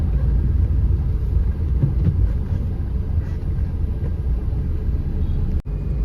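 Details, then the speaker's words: 2013 Maruti SX4 diesel, about 2 lakh km, after steering ball joint, tie rod ends, shocks and bushes replaced, driving: even road rumble with no knocks or clunks; steering free and the earlier left-side knock is gone. "Steering ഭയങ്കര free ആട്ടോ നമ്മൾ first എടുക്കുമ്പോൾ തന്നെ അറിയുന്നുണ്ട് ആ ഒരു അടിയൊക്കെ പോയിട്ടുണ്ട്."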